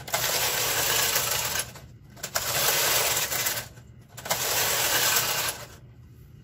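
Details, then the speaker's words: Knitting machine knitting Fair Isle, two colors, MC and KC, doors closed, slowly, after fixing earlier problems (take-up spring suspected, uncertain): three even swishing carriage passes of about 1.5 s with short pauses, no straining; running freely. "You can hear how the machine is not laboring."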